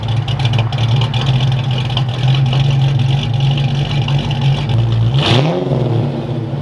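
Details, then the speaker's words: Ford Fox body Mustang with a new custom exhaust (about 200 hp) at idle, then a quick throttle blip: deep, loud, steady V8 burble, very loud at the rear but a nice muffler tone; normal idle and revs. "yeah this exhaust setup is actually really nice i can tell it's very loud on the back of the car but it sounds really good i like the tone of these muffins"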